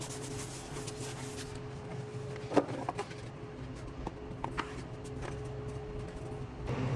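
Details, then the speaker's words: Refrimate beverage display cooler after replacing the worn fan motor (bushing lost lubrication from dust): only a quiet steady low hum and faint even tone; runs without noise. "aí já funcionando o equipamento sem fazer barulho você pode perceber que já não faz barulho"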